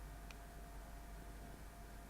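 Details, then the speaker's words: Yongnuo YN600 LED light's cooling fan, recorded by lav mic about 1.3 m away: faint steady airy hiss with thin mid tone, normal fan noise that hum removal could not eliminate. "how hard is it to remove this noise in post well using Final Cut pros hum removal the 50 or the 60 Hertz options I didn't get anywhere close to killing this sound it wasn't working at all"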